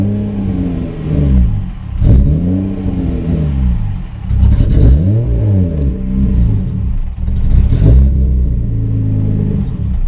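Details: 1994 Subaru Impreza with EG33 engine swap, intermittent power loss warm or cold, no check-engine lights: at about half throttle revs sag and stumble with uneven firing while the pedal is held, rising only once released; intermittent misfire.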